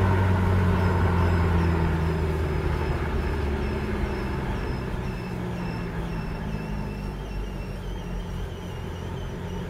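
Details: 2004 Passat 1.9 PD TDI, cold, rolling with windows down: faint high chirping squeak about three times a second, also in neutral, unaffected by rpm, stopping below 1 mph; exhaust whistling through a cracked flex pipe next to the catalytic converter.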